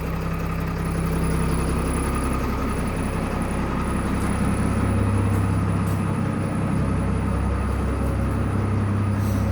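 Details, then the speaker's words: Bus diesel engine, first start after sitting about two and a half to three weeks, throttle pulled up to hold about 700 rpm for warm-up: even, steady idle with a low regular beat, no knocks or misses; normal warm-up idle. "all right we're gonna keep our rate around seven i'm gonna let it run while i'm working on on a truck"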